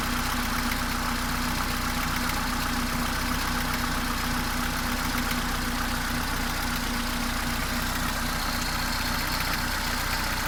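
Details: Mercedes A-Class W168, 1.6 L petrol, automatic, 18 years old, about 150,000 km: steady idle with sharp, regular clacking of roughly four per second, beyond normal valvetrain noise; source not pinned down.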